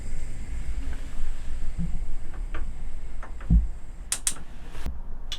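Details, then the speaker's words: Gas hob with 12-volt electronic ignition in a Lowlander Deluxe motorhome (Fiat Ducato), knob pushed down with gas bottle and 12V panel on: a quick run of sharp, dry ticks from the spark igniter; normal. "so when i push that down you'll hear the tick tick ticking that's your 12 volt ignition"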